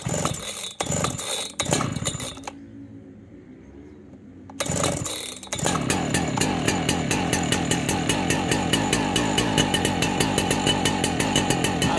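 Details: Husqvarna 3120 chainsaw started for the season: after a few pulls and a brief quiet spell it fires and settles into a crisp, steady two-stroke buzz; normal running.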